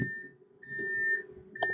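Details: 2000 Fleetwood Pace Arrow Class A RV, main cabin slide being retracted with key turned to in position: high, steady electronic tone in long beeps during retraction; normal slide-out motion warning beep.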